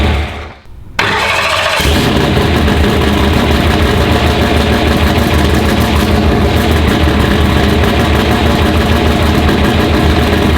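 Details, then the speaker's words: Race car being readied for the track: it catches and settles into a lumpy, uneven lope with a stumble every few beats; a misfire from a dead cylinder. Injector, coil, plug wire and spark plug were already checked; cylinders 4 and 7 are suspected and the cause is unknown. "So we got a dead hole, and we've done some troubleshooting with the injector and the coil and the plug wire, spark plug, pretty much everything."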